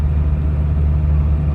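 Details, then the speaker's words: Gazelle van just driven out of the service shop after complaints of knocks, crunching and untightened nuts: smooth, even low rumble while driving with no knocking, grinding or wheel hum; everything seems fine now. "Короче, выехал с сервис. Вроде нормально всё, всё [музыка] чётко."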